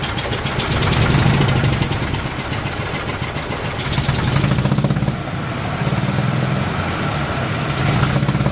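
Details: 2008 Yamaha Drive G29 gas golf cart engine runs rough with an uneven, lumpy, surging beat and noisy sound like compression or exhaust escaping; crankcase pressure from valve cover vent tube, owner suspects possible head gasket, cause not confirmed.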